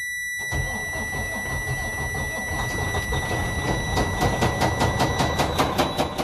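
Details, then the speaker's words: Detroit DD15 truck diesel, loud noise from the front engine area: deep rumble with a sharp, regular metallic knock growing louder and faster; rod knock, connecting rod bearings destroyed and crankshaft damaged, engine needing machining. "Este camión que está acá es el que estaba haciendo este ruido que pudieron escuchar al principio del video, un ruido bastante fuerte que venía de la parte de enfrente del vehículo, del motor en este caso."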